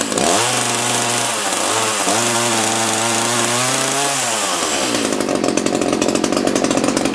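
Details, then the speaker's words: Echo CS-330T top-handle chainsaw that had not run in years, was hard to start and leaked oil: revs surge and sag into a ragged buzz, sounds starved at high speed; a hardened fuel pump diaphragm needing a carb kit is suspected; rough running. "turn that high speed adjustment out a little sounds like it's starving at a high speed probably needs a carb kit"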